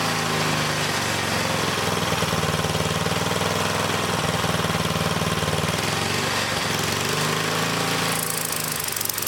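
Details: Old small single-cylinder engine running on a 100-year-old Model T priming spark plug, fed from a jar: quick, even beat with no misses or stumbles; runs normally.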